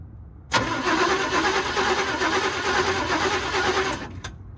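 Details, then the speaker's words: 1962 Chevrolet pickup, sidelined 20 years and last run on propane, starter engages sharply and cranks the engine through poor wiring at an even, healthy rhythm for about three and a half seconds without firing; normal starter cranking. "okay well that's a plus somehow we're making enough connection through these crappy wires to actually kick that starter"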